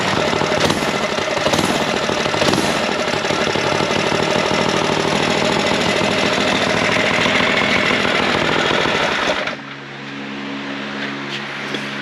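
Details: Go Power Sports Rascal mini bike, newly finished build: the small single buzzes at a fast, steady chatter with no misfires or stumbles, then shuts off cleanly. It runs fine.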